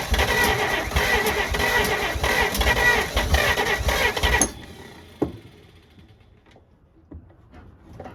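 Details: 1948 Pontiac abandoned over 35 years, after cap work: starter churns with a steady chug about four seconds, no firing; cranks but won't start, owner thinks it is getting close.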